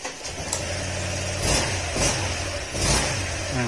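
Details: Honda Click 125 V3 scooter, which had been misfiring and wouldn't start after hitting potholes, after fuel pump replacement with fuel pressure about 41: a steady idle with quick throttle blips, running cleanly.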